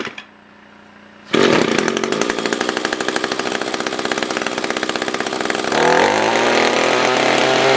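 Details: Echo SRM-210 trimmer after repair (new carb, fuel filter, plug, fresh gas, handle), tank refilled: catches and settles into crisp, even two-stroke buzz with clean pickup; normal idle and revving.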